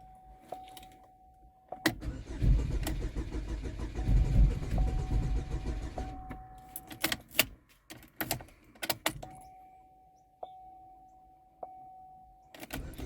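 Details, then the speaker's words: 2012 Chevy Equinox/Terrain junkyard replacement engine, first start after install with check engine light on; low uneven extended cranking after a chime never catches, owner suspects fuel system still priming; later starts with a misfire, suspected bad coil. "could just be priming the fuel system we'll see it's getting there it's close"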